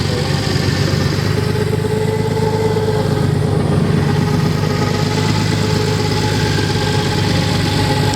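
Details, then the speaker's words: Nissan 300ZX engine, 190,000 miles, hydrolocked through two cylinders, restarted after purging the cylinders and changing the oil, now idling with no load. Steady idle with a light, quick ticking over it and no deep knock: no rod knock, just the cylinder 5 lifter ticking. "No knocking, just that cylinder 5 lifter ticking. Nice."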